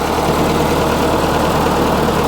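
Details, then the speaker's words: Case 1845 skid steer diesel after a hydraulic pump reinstall, throttle at full. A flat, unchanging drone with no rise in speed. It revved fully at first start but not now; the owner wonders if the filters are plugged. Engine won't rev up, lacks power. "that's all i get i don't get nothing any better i don't know if these filters are plugged"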